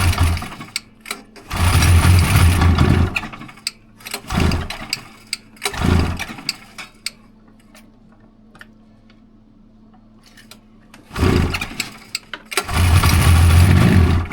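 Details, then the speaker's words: Rebuilt 1999 Polaris XCR800 two-stroke, carbs rebuilt and synced, TPS set, first fire-up with fuel squirted into each cylinder, no coolant: several pull-start bursts catching briefly with low even pops; no knocks or rattles, healthy fresh rebuild. "All right. I didn't hear any bad noises. No."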